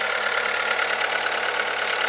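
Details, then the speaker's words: VW Lupo 1.4 16-valve petrol idling steadily and evenly, running sweet again after a failed pencil coil pack was replaced. It had been spluttering, rocking and misfiring with a flashing check engine light. "hopefully it'll run a lot better and there she is running sweet as a nut again"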